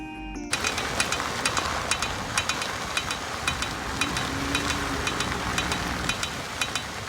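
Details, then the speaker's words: Dodge Grand Caravan front wheel while driving: sharp metallic clicks over road noise, faster with speed; hub bearing, CV axle, brakes, rotors and lug nuts ruled out; cracked front steel rim. "So as you can see, it changes with the speed that you're going. The faster you go, the faster it clicks."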